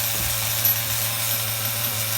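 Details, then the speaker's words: HPI RS4 Nitro F150 RC car nitro engine bench tuning, single-phase idle, throttle released: high steady buzz that stays raised instead of dropping; top lean or bottom rich, bottom end judged rich. "see how the idols staying raised up so we know the top is lean or the bottom is rich so I'm going to go where the bottom is rich"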